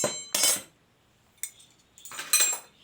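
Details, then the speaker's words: Saw-blade steel as used for knives, struck to test; a clean ring means it can be edged without further hardening. Few sharp bright metallic strikes ringing clearly and dying quickly; clear ring of hard steel. "Besi gergaji besi yang orang selalu buat pisau tu. Dia bunyi di sini lah kalau kita nak tahu. Itu terus boleh buat mata."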